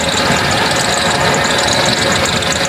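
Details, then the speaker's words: Toyota Corolla 2E engine idling before valve clearance adjustment, no misfire but sometimes stalls: steady idle with thin, constant high-pitched chirping hiss from a noisy belt after sitting unused. Noisy drive belt. "anan maingay Yung kanyang belt Okay naman yung ano niya hindi naman siya palyado"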